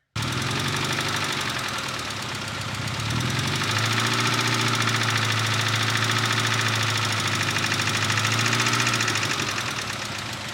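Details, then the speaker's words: Petrol engine after DMSO oil flush, refilled with 15W-40, idling and revving briefly up to about 1200 rpm; steady light tick three to four a second; hydraulic lifter tick returned, owner assumes heavier oil weight. "well something interesting our lifter tick is back I don't know if you can hear it on camera but I can hear it from I mean inside the house"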